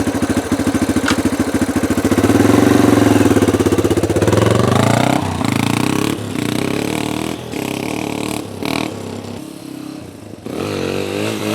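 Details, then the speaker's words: Yamaha TTR230 after adjusting the pilot fuel screw on the stock carb, fully warmed: starts easily and revs cleanly with good throttle response, no bogging and very little backfire on deceleration. Maybe a touch lean. "all right it's fully warmed up now and it starts easy and there's good throttle response it's maybe a touch lean but it's a lot better it's not really boggy and it backfires very little which is fine on deceleration nice easy start"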